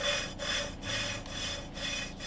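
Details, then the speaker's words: Hand lapping a valve into its seat with lapping paste on a cleaned cylinder head: rhythmic gritty rubbing strokes about twice a second, fading until silent; then lift the valve and restart. "T'entends, on entend de moins en moins, et là on n'entend plus rien. Donc tu soulèves, tu recommences."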